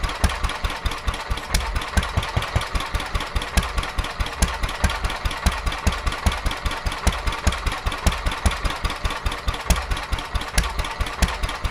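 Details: Petter A11 (A1 series 2) single-cylinder vintage stationary engine, owned 12-13 years, sat damp in a container for four years; slow beat, two to three firings a second, uneven, stumbling and missing; rough running, owner suspects fuel starvation from dirt in the carburettor.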